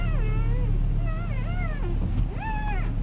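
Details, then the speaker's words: 2002 Toyota Camry, inside car while turning: high wavering squeak/whine over low engine rumble; power steering fluid (Dexron ATF type) found below minimum, refilling expected to stop it. "so we're in the car now I don't know how well you're going to be able to tell from there you can hear it squeaking sounds like a wine"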